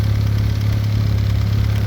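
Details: VW B5 Passat GLS wagon 1.8T, after a high-flow exhaust manifold upgrade: smooth, even low idle hum with a steady pulse and nothing ticking or rattling over it; normal idle.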